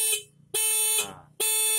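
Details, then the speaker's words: Homemade cheap motorcycle anti-theft alarm sounding through the horn when the ignition key is switched on; loud shrill tone in bursts about every 0.85 seconds with falling sweep; working as intended. "Jadi ini seperti ini ya. Jadi kalau ini kita hidupkan langsung dia bunyi alarm."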